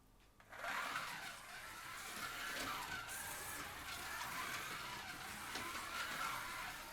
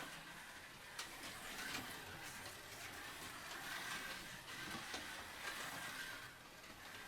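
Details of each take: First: Policar WRX slot car, the yellow one, lapping with a thin whine that rises and falls, after light tuning and sanded tires. Gear whine is slightly more than the blue car's; the silver car is noisiest. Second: Blue Policar slot car lapping: a light, even buzz from the motor and gears with no catching or rattle; smooth, healthy running.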